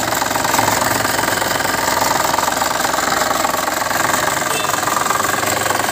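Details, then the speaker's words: Used Suzuki Ertiga Diesel Hybrid engine at idle: even, steady diesel clatter with a regular beat, no metallic knock or limping cylinder; normal healthy idle. "oke 7 berikutnya teman-teman kita akan pastikan kalau disini tidak ada suara besi yang beradu kita dengar baik-baik"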